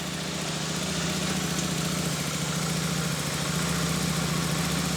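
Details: Royal Enfield Super Meteor 650 idling after a rear belt drive conversion, belt running 1 mm from the flange. Even, steady low thrum with no knocks, slap or whirring from the belt. Normal idle; some flange movement on its rubber carriers is thought normal.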